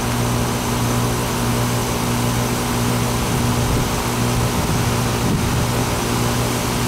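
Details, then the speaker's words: Old R22 central AC outdoor unit after reattaching two bad wires: steady low hum with constant mid tone and fan rush, no clatter or buzzing; compressor running normally, pressures not bad, possibly slightly low on charge. "so we're not looking bad here let's give it some time but a little better yeah well I mean let's it's R22 so this these pressures aren't looking crazy bad but let's let it run for a bit"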